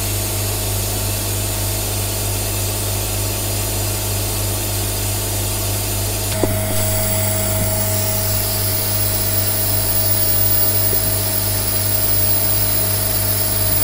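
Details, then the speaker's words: Hyperbaric oxygen therapy chamber being depressurized from inside as the valve opens: steady rushing air over a constant compressor hum, changing as the valve opens fully; pressure drops gradually toward zero and the chamber deflates, normal venting. "Au fur et à mesure que j'ouvre, je sens mes oreilles qui s'éclatent comme si je descendais d'un avion. Et donc là vous pouvez le voir, la pression est en train de descendre petit à petit."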